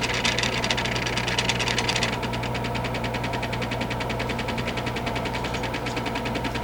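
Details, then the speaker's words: Bobcat controller base 6678683 with its 470-ohm resistors failed open: the gauge stepper motors struggle and tick rapidly and evenly, three or four a second, over a low hum, and return very slowly to reset after power-off, recorded with the microphone beside the gauges. "And you can hear that when I turn the unit off, the gauges are also very, very slow to move back to their reset positions. I'll do it one more time with the microphone right next to the gauges so you can hear that clicking sound I'm referring"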